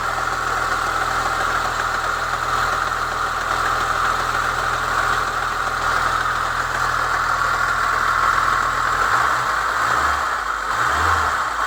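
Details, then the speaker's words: Chevy Niva cold engine: dry metallic clatter near cylinder 1 from a new timing chain tensioner, heard until about 60 °C; refitting the old tensioner with a modified spring removed the noise. "Вот, в общем, триали. Он новый, то есть при момент вот когда машину заводишь, градусов до 60 грохотал, в общем, в районе, да, вот где-то от первого цилиндра."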